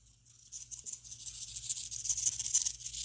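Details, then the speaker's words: Blade Nano CP S RC helicopter bought on eBay, first start-up test, bound with throttle cut: fast, thin, steady high buzz after power-up from the SAFE stabilization servos working; normal. "you hear that that's safe working in there I love safe newbies safe is the greatest invention ever"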